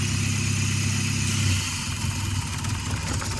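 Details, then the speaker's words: 2008 Toyota Scion xB petrol engine idling smoothly with a low, steady rumble after disconnecting the brake booster line, which cured a multiple-cylinder misfire that persisted after new coils, plugs, intake manifold gasket and air filter. "Runs real nice now. Disconnected the line from the brake booster. Fix the problem."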